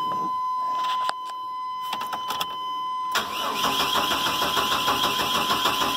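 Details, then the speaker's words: Chevrolet 1500 4.3 (owner says 86), brake cleaner in intake: steady regular cranking several seconds, never catches; no spark found, owner suspects bad coil, unconfirmed. "Better mash the pedal just to be sure. No spark. Maybe a bad coil."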